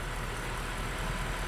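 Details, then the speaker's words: Mercedes C63 AMG Edition 507 V8 restarted after cooling a couple of hours, following PCV system fix: steady even low rumble, previous ticking gone, no smoke, no check engine light. "we're good you can hear it a lot over here before no ticking whatsoever"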